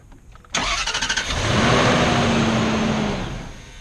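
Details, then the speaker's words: 2006 Range Rover L322; starter cranks in quick even pulses, engine barely catches then fades, cranks over and over without starting; failed fuel pump suspected, later replaced. "It just keeps on cranking over and it won't start. And it won't start. Be your fuel pump."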